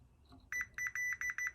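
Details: Chevrolet Tahoe with a P0300 misfire code, probing the coil pack harness pins with a multimeter on continuity: short, clear high-pitched beeps repeat each time the probes touch, so continuity is good.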